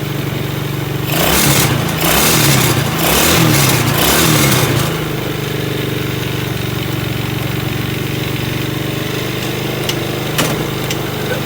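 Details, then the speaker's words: 110cc ATV after repairing a stuck gear selector: small revs and rough idle bursts, with a sharp clunk as gears engage at low speed. The clutch isn't fully disengaging and needs its adjustment screw tightened. "Ok, it works properly, I'll have to adjust the way it works at low speeds a bit, that's the reason why it made that sound when shifting the gear."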